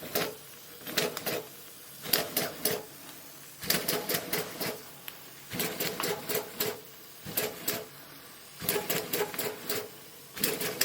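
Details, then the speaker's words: Maxwell Hemmens Birmingham Dribbler gauge 3 live-steam engine, run after standing a long time on low pressure: uneven bursts of rapid clatter and hiss with gaps. It is priming, spitting water and running rough; a second run is expected to be better. "It's priming because it's been stood for a long time. The second run will be better."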